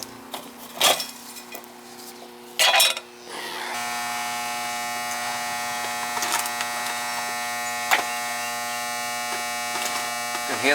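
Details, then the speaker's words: Goodman R22 AC condensing unit not running: loud steady electrical buzz from a cooked, blackened contactor chattering instead of pulling in; contactor to be replaced. "we got a bad contact Lydia it was out and I just pushed it in it was making all that noise you can see it's all fried"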